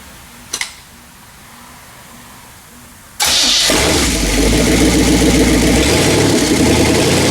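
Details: Rebuilt Pontiac 400 from a 1979 Trans Am on a homemade engine run stand, second break-in after a flat tappet cam lobe failure: quiet, then a sharp catch about three seconds in to a strong, even fast idle on the fast idle cam; clean first fire.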